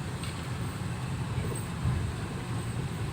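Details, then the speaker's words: 2010 Nissan Livina automatic, previously sluggish, unresponsive, pinging and thirsty, after Blackcore engine tuning/carbon cleaning: low, even engine drone under road rumble while driving, quieter with less vibration, no roughness, knocks or rattles; smooth engine. "Ini kayaknya nggak kedengeran suara mesin. Iya, benar. Suara mesinnya jadi tambah halus, getarannya berkurang."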